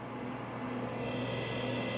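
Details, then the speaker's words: Bondwell B310 286 laptop powered by straight 9 V supply drawing about 1.3–1.8 A: steady hum with faint constant high whine from drive and fan, running normally; old power supply was not providing enough power. "it's running like a champ so basically that old power supply was not providing enough power"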